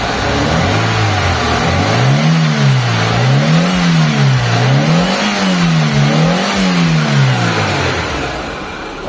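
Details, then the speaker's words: Lancer (itlog) revived after long storage, cold start after cleaning and oil change, throttle blipped up and down; very quiet, owner watching the distributor for occasional slight misfire but fine now. Smooth, even revs, no knocks or misses. Normal cold start revving. "Sobrang tahimik na mga boss ng makina. Inoobserbahan ko na lang itong distributor niya kasi may time na parang siya, parang ibig-ibig niyang mamalya. Pero sa ngayon okay naman."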